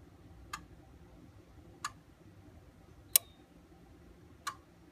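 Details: Ford 6.0 Powerstroke running rough, injector test with IDS: single sharp injector clicks about every 1.3 seconds, one sounding harsher; confirms at least one bad injector.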